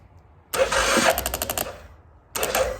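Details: CF Moto Moose Tracker 500 quad after sitting 3 years, with recharged battery and choke held: short cranking bursts at about six chuffs a second but it never catches; crank no-start.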